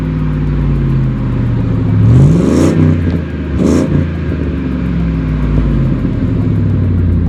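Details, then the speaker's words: Exhaust pipe after welding repair with a welder: engine revs up and settles with a smooth deep note, no ticking or puffing as heard before the weld; exhaust now sealed. "all right guys so as you can tell in here the exhaust sounds so much better"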